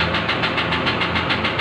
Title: how to troubleshoot injector knocking sound.